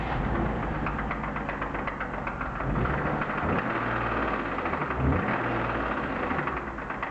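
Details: BMW E36 323i, M52B25 engine, 140,000 km, at idle with spark plug leads pulled one at a time. A deep, uneven knock stays unchanged with a lead pulled, casting doubt on the suspected connecting rod bearing failure.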